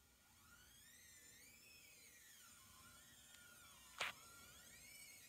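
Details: 2012 Chevy Equinox, recently replaced cheap right-front wheel hub: high, wavering squeal rising and falling at very low speed with a sharp click; hub seal suspected, not confirmed; low-speed squeak.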